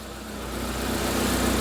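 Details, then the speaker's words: Proton Wira, running on old, poor fuel: very quiet, steady low idle with an even, slightly lumpy rumble; the formerly noisy fuel pump is now silent, so it runs normally. "Sounds Sounds good. Sounds good, mate. What's next? Imagine what it would sound like with some clean fuel in it."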